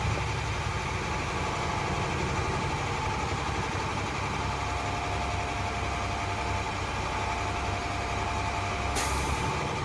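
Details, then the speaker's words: Automatic truck in CDL brake inspection, pressure rebuilt to 120 psi with throttle before the service brake test; steady diesel idle then a short sharp burst of air as the compressor unloads, normal air governor cut-off at 120 psi. "That's the governor cut off. That means my governor is working properly. My air governor is working properly, and my pressure is normal at 120."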